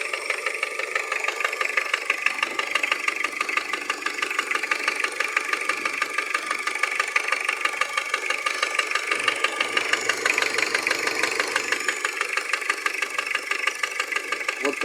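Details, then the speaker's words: Engine idling with a steady dull knock about twice a second; diagnosis ruled out injectors, valves and vacuum pump: the knock is piston slap. "диагностические действия показали что это не стук форсунок и стук клапанов или вакуумного насоса так стучит поршень"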